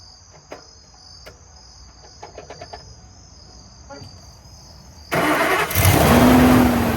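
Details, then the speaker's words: Ford F250 Super Duty after replacing the alternator, whose internal bearings squeaked: engine cranks, catches fast and settles into an even run with the squeak gone; normal running. "So, got that all wrapped up. Truck's running good now. His squeak's gone."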